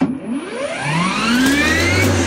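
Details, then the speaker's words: Parkside 40V mower on two batteries, unboxed after service error, earlier suspected something blocking blade; clean whine rising smoothly then holding steady, no rattle or grind; normal, eco mode thought to spin slower. "normal doucement doucement doucement donc alors si on appuie plusieurs fois ça change de mode je pense qu'en mode écho bah ça tourne moins vite forcément"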